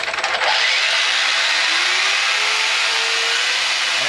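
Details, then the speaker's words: Brushless RC truck with new spur gear and parts, proper gear mesh: motor spins up to smooth rising whine, no grinding or clicking; bearings slightly worn with a little play, normal mesh. "spur so it's gonna be a lot quieter than metal on metal obviously but this is about what it should sound like"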